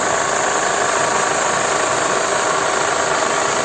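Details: Mercedes M111 petrol engine idling: dry loose rattle about three beats a second, seeming to come from the valve cover but actually a worn alternator belt damper pulley.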